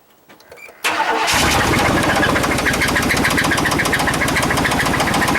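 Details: Chevy Suburban with knock and squeak, plugs, wires and rotor already replaced, Seafoam added to oil, fuel and vacuum line; starts and settles to fast idle with steady light tapping three to four per second; top-end tick suspected.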